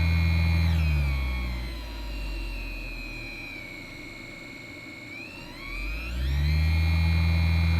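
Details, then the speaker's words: Cheap massager motor on a PWM speed-control kit after a change of supply voltage: a small motor whir slows to a lower hum, then speeds back up smoothly; a healthy variable-speed run. "you still have variable control there we go"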